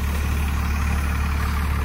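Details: 1997 Dodge 2500 12-valve Cummins, four-wheel drive, cold start in snow without being plugged in: a deep, even diesel thrum at steady idle, no misses, knocks or blow-by chuff; a healthy-running engine.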